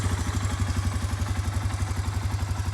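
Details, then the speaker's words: Suzuki Eiger 400 Quad Runner ATV after new carburetor and new spark plug; steady, even low thumping single-cylinder idle with no misses or knocks, running fine. "everything is running okay it runs like the top i put a new spark plug in it that should help it out also"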